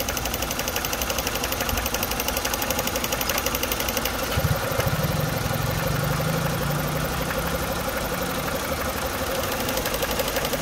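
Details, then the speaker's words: Renault Megane 2 showing check injection and check gearbox warnings, with codes DF073/DF074 for cylinder 2 and 3 ignition coil circuits: an uneven, lumpy idle with irregular thumps. It is a misfire with shaking and power loss, caused by loose, damaged coil connectors. "Et la voiture tremble à cause des ratés et n'a plus de puissance"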